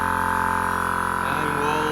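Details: Repaired Air Zenith air-ride compressor, first run after the rebuild; the noise was suspected to be a piston rod bearing: steady motor hum, fast even pulse, slight pitch drop as pressure builds, no knocking. Runs smoothly; the pressure switch is faulty.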